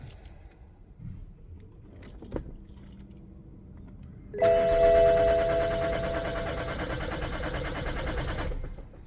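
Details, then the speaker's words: BMW E60 530d diesel, next day after a flat battery was recharged: keys rattle, chime, starter cranks steadily about four seconds but never fires, as if no fuel; diagnostic tool cannot reach the engine ECU; later traced to faulty IBS battery sensor. "Donc voilà, ça fait comme si euh le carburant n'arrivait pas, donc j'ai passé Diag et cetera et le Diag n'arrive pas à rentrer dans le calculateur moteur."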